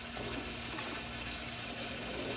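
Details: Hessaire evaporative garage cooler whose pump failed within a year, temporary pump just fitted and water reconnected: steady splashing water flow with a faint, even pump hum; pump circulating water normally.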